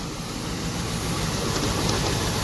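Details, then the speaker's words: 2000 Chevrolet Camaro convertible that had sat unused for a couple of years, first start after restoring power to the fuse box: an uneven, loose, low rumble at idle with no steady beat, running rough. "There it is. Sounds like crap because of them, but there you go. It is running, it's alive."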